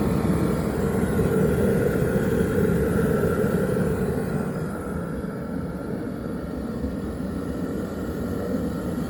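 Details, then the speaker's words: Teleflex MBU V3 military burner on diesel, refired after boiling 2 gallons of water in under 10 minutes on under one amp hour: continuous even roar settling slightly lower after a few seconds, no sputtering or popping; normal burner operation. "It took just under 10 minutes to get 2 gallons of water to a rolling boil, and we used about just under an amp hour of energy out of the battery pack. And overall, I think it worked pretty well."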